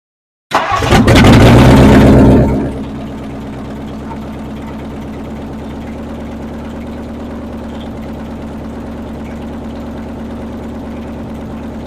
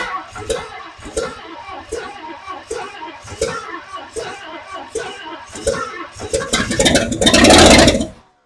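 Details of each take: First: 1959 Edsel with new motor and transmission, running after timing advanced and a loose, gas-spraying fuel pump connector fixed: cranks, catches, flares about two seconds, then steady even idle with no misses; runs normally. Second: 1959 Edsel with new motor and transmission, first cranking attempt on a nearly dead battery: slow steady starter churn with regular compression beats but no start; ignition timing too retarded, fixed by advancing timing and tightening a loose fuel pump connection.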